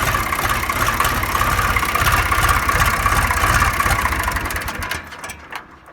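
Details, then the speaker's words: 1974 John Deere 300B loader backhoe diesel with Stanadyne Roosa Master injection pump, being timed: uneven chug of two to three beats a second that stumbles and sputters, runs poorly; pump to be reset at top dead center and sent for diesel injection service. "I don't like that sputter that sputter drives me"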